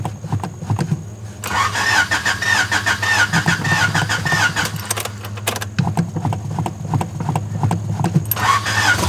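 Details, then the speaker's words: 3rd-gen Honda Prelude jump-started from a weak battery, with the engine possibly low on oil: brief cranking, then it catches and settles into a steady, even idle. It starts and runs. "oh ho let's go the prelude is alive"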